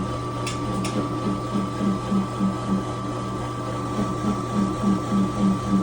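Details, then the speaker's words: Home-built belt/pulley-driven air compressor with an air dryer feeding the tank, pumping up to almost 75 psi; even, soft thump about 3.5 times a second over a steady hum. Quiet, normal running. "We're up to 75 almost, so I'm just waiting to see what we can get up to now. And it's real quiet, you can hear. Not really noisy."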